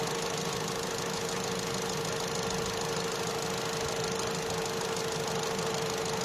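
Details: Opel/Vauxhall Astra J 1.4 after new spark plug and ignition coil for a cylinder 1 misfire: even, steady idle with a constant mid-pitched hum, no stumbles or missed beats; misfire counts zero on all cylinders.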